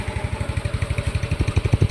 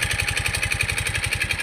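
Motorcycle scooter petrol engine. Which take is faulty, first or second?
second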